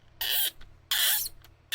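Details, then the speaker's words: Dry ball bearing in a 3D-printed RC plane whistle/siren spinning up gives bursts of high, warbling, bird-like chirping; bird-like sound means the bearing needs oil, such as a little WD-40. "bird? That means you need oil when it sounds bird-like. See, that was very bird-like."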